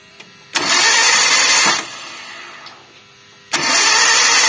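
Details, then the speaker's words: KIA Visto with no compression, distributor cap off: two long bursts of quick, even cranking with no firing while the distributor rotor does not turn, confirming a snapped timing belt, later replaced. "kalau ini tidak muter berarti masalah mesin tidak mau nyala atau mogok ini disebabkan karena putusnya timing belt"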